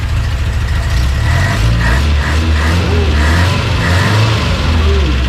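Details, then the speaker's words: Subaru BRAT engine after repair, rods no longer knocking: deep, even idle with a steady exhaust beat, no knocking or ticking; sounds healthy, not yet warmed to thermostat opening. "We never had one that sounded like that. So good. Listen to the exhaust."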